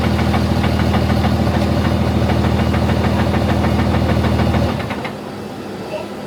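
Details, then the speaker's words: Diesel truck nitrous build idling after a dyno pull: sharp metallic clinks about three a second that grow louder, stopping when the engine cuts off. Cause was loose torque converter bolts. "Initially, I wasn't really startled because I thought it was them unstrapping and restrapping cuz it was like clink clink clink clink and I was like, "Oh, they're probably just restrapping the truck.""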